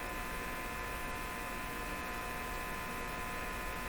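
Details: 1935 Rogers Model 7R622 tube radio, heard from the speaker while checking supply ripple and output tube grid bias: steady low buzz with a faint whine on top; ripple measures small, so the hum's cause remains unconfirmed.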